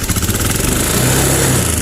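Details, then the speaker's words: Honda Beat scooter that idles unstably after a manual reset, revs rising and falling and sometimes stalling: held at high revs it pulls an even, continuous note with no stumbles or popping, so it runs clean under throttle despite the idle complaint. Owner blames dirty throttle body from infrequent servicing. "Hah, itu bukan masalah kalau mesinnya digas kencang."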